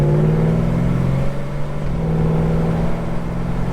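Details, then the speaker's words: Holden HK on a short road run with automatic shifting, no manual gear selection. Deep, even engine drone pulling strongly, with smooth pitch changes through the shifts and no misfire; it sounds meaty and runs really well. "Oh, well, it's got a meaty sound to it, I tell you. Yeah, well, she's running really, really good."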